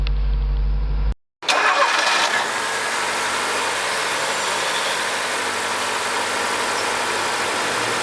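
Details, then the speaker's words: Corsa first morning cold start after engine work and timing reassembly: catches at once after a brief crank and settles into a smooth, even fast idle with no knocking; healthy cold start. "aí o motor pegou de primeira e serginho falou mas sim espero que dê pra ouvir no áudio e na galera não tá batendo nada motor está tranqüilo"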